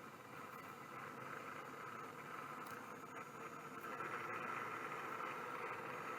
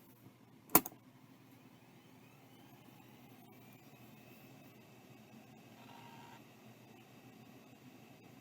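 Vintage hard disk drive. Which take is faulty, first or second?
first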